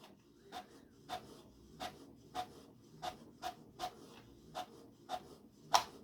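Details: HP Photosmart 7260 inkjet printer (2003), printing light-blue text with the printer rattling: even light ticks about every two-thirds of a second as the carriage steps across, no grinding; printing normally.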